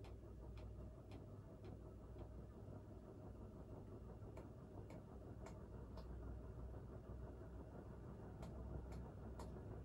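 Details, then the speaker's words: Crompton Greaves High Breeze 56-inch ceiling fan on a three-speed capacitor control: a quiet fan hum with faint, irregular light ticks every second or so from the shaking canopy, tightened up against the ceiling, rubbing the wood it hangs from. "that noise is because i have the um it shakes a little bit and i have the canopy tightened all the way up against the um ceiling so that noise is just the canopy rubbing against the wood that it's hanging from"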